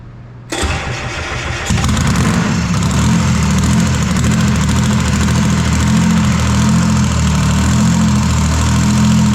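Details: Detroit Diesel 3-53 diesel, first start after 25 years sitting, after reversing a camshaft installed backwards during a 2000 rebuild; catches within a second, roars up and settles into a steady even beat with no misses: normal start and idle.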